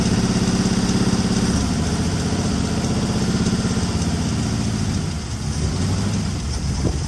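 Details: 1961 Mercury Meteor, 37,000 miles, first start after 43 years parked, seized water pump belt freed: lumpy idle with a wavering beat that sags and recovers, blowing oil from the fuel pump opening. Rough running.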